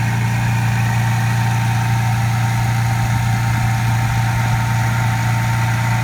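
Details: 1995 Toyota Supra first start after 7 years sitting, with only an oil change and new battery: steady, even low idle with smooth deep hum and no knocks or misses; runs cleanly.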